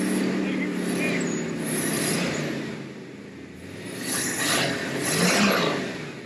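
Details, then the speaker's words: 1979 Corvette small-block V8 with Edelbrock Torquer intake and apparently a mild aftermarket cam, after sitting, choke not closing: steady even idle with slight lope; engine sounds healthy, normal idle. "Man, that motor sounds healthy. I think it does have a different cam."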